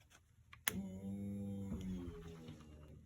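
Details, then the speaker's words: 2007 Mercedes-Benz GL450 (crank no start), fuel pump run directly from battery power: a click, then a steady low electric hum that droops slightly as pressure builds to 50; pump is good, fuel pump relay only received about 8.8 volts. "Oh, and you heard it lug down. Look at that, we're up to 50, so the fuel pump's good."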